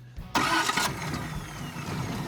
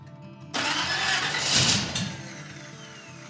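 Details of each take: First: Finished custom hot rod (Space Junkie) with dual carburetors, started for its new owner's first drive: quick starter burst, catches at once, then settles into a steady, even low idle with no misses or knocks; sounds healthy. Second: Custom hot rod (Space Junkie) with exotic dual carburetors, first start after reassembly: starter drags the engine over slowly and sounds odd before it fires, catches and settles into a steady run; slow cranking, needs tuning.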